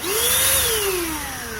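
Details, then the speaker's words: Jaco EZ Hoover vacuum cleaner motor, reassembled after disassembly for a rough noise and suspected failed bearing: a smooth, even whine rising then settling, with no grinding or rasp. It now spins freely and normally. "Oke, putarannya lancar. Sekarang sudah tidak sulit lagi."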